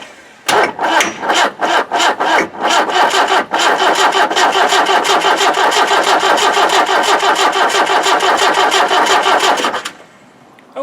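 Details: 1991 Land Rover 90 ex-military, 2.5 naturally aspirated diesel, non-running; with the injector pump stop solenoid switch wired backwards, the starter churns at about three beats a second, slowing and uneven, with no catch before stopping; cranks but won't start.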